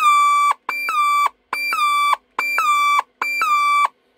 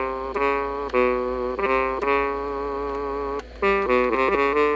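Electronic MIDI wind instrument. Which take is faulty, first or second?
first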